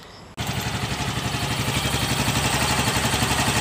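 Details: Yamaha Mio Gravis scooter, after replacing the faulty side stand switch that caused stalling: fires after a brief silence and settles into a steady, even idle with no stumbling while the new switch is wiggled.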